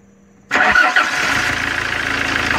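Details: 2011 Fiat Ducato, F1A 2.3 16v Multijet turbo diesel, hard cold starting and power cuts with pressure regulator code; after injector return leakage repaired on Euro 3 injectors: starter whirs briefly, catches quickly, settles to steady even idle.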